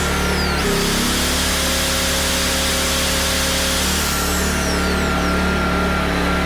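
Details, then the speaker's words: PowerTrain 900 W generator after new fuel lines and carb work, started without choke (choke was reversed); loud steady even drone, no misses or knocks; water came out the muffler: normal running. "okay well it starts so that's good um i actually was able to start without the choke on"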